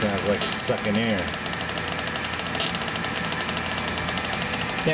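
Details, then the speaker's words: Monarch 610 lathe hydraulic pump, panel removed, filter feeding pump: fast gritty rattle over steady whir with uneven pulsing; owner suspects air bubbles from a leak in the suction line; hydraulic pump noise. "here you can really feel the the air bubbles pulsing through there. At least that's what I think it is. And it makes me think there's a leak in this suction line over to here."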